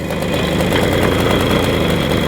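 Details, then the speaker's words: 1980 Garelli Super Sport pedal-start two-stroke moped just started, after replacing swollen rubbers in the transmission clutch disc, idle deliberately set low: steady, even, slightly lazy putter, no knocks or misses; running normally. "I've got the idle turned down a bit so we can adjust it up"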